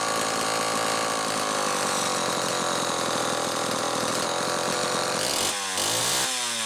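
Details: Homelite XL-12 chainsaw, final test run after an ignition repair (misaligned coil bracket, missing flywheel-nut lock washer fixed): crisp, steady two-stroke buzz holding even under throttle, changing pitch cleanly as it cuts and comes off; running normally.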